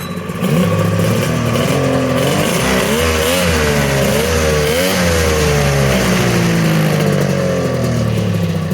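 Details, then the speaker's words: Polaris triple-cylinder two-stroke modified snowmobile ("Wet Basement") after full rebuild, unridden about 3 years, skid reinstalled, fired up in driveway: idles then revs up and down cleanly, no misses or knocks; normal running, healthy. "I forgot how gorgeous and beautiful this sled sounds. Oh my goodness, a hair stood up on my back. Unbelievable."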